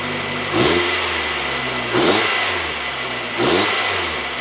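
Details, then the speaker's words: 1990-2005 Mazda Miata after timing belt and water pump replacement, accessories on: three quick throttle blips, revs climb and fall cleanly with no belt squeal or chirp; healthy. "[Music] sounds good so one of the things you want to do after the job is keep an eye on your fluid levels"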